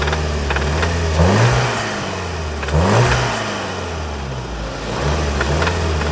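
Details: 2019 VW Arteon 2.0 TSI (engine code DJHC, 280 PS), 50,757 miles, knocking started under 3k miles after purchase: revved from idle, a faint knocking rattle appears around 2–3k rpm and up, unnoticeable in normal city driving.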